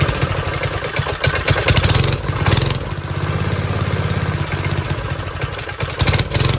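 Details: 1970s trike (believed MTD Mud Bug), believed 5 hp John Deere replacement single-cylinder, dormant 5–10 years; after carb and idle screw adjustment it putters at a steady, even beat with no misses or surging, running fine.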